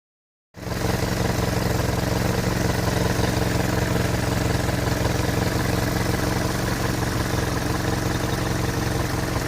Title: Bruit moteur Hotchkiss M201... Est-il normal ?